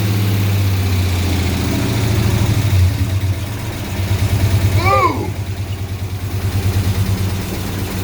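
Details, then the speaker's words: 2007 6.1 HEMI V8 swap in a 1970 Coronet, first run with no coolant: uneven lumpy idle with a stumbling beat that never settles; injectors on cylinders 8, 6 and 4 not firing. Misfire. "i figured out that the um injectors uh weren't firing so cylinders freaking eight six and four were not firing"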